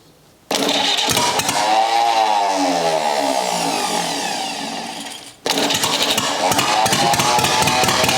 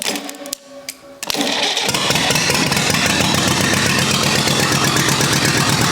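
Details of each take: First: Rebuilt U23 engine, first start after 25 years, choke up, idle mixture screw set to about two turns out: catches and runs unevenly with wavering pitch, dies and restarts; carburetor not yet supplying enough fuel at idle. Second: Rebuilt U23 engine ("Old Rusty") at its first start after 25 years: a few cranking bursts, then it fires almost immediately and settles into a steady, even beat with no knocking, running smoothly apart from the non-original carburetor, which still needs adjustment.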